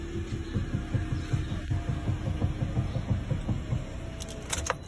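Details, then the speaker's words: Toyota Corolla with faulty suspension; low uneven thumping two to three times a second with sharp clicks from the steering assembly; plan to open it and repair the bushes, or replace the steering assembly if repair fails; steering rack knock. "Steering assembly जो कि आवाज़ कर रही है, इसको steering assembly खोलेंगे, इसको लगाएंगे, बुश रिपेयरिंग करवाएंगे गाड़ी की।"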